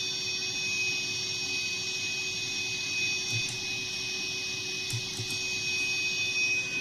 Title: Voicelive 3 Whine-hiss sound